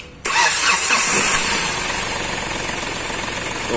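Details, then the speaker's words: Hyundai Xcent after crash damage to the intake manifold and rail pressure sensor (code P0193, knock): engine starts at once and idles steadily with no knocking or misfire; no trouble codes after the repair. "Start normal हो गया firing इन"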